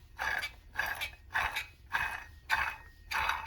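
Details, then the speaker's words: Acura MDX 3.5L old water pump removed during timing belt job, pulley spun by hand: gritty rough grinding whir with play in the pulley, bearing worn out, pump replaced. "You can hear the bearing is shot, and you can't really see it, but there is play when I wiggle this pulley. So unfortunately, this water pump is no good, and it's time to get rid of it."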